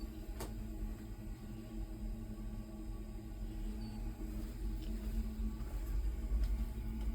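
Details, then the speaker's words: American-Standard gravity (floor) furnace, model GG-125 Series E-2, built 1948–1968, about 56–76 years old, natural gas, no blower: steady low, soft roar of the gas flame with faint ticks; normal operation. "This places this furnace at approximately 76 to 56 years old. It is still functioning, as you can hear."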